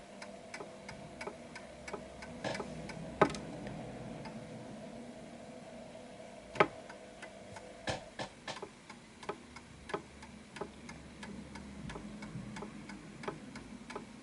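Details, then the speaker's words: Antique Westminster chiming clock with silent function, after being nudged slightly left to find the center of gravity: crisp, evenly spaced tick-tock with matching beats and no limp; clock in beat and ticking perfectly. "Now you hear that sound. That sound there is a perfect ticking clock."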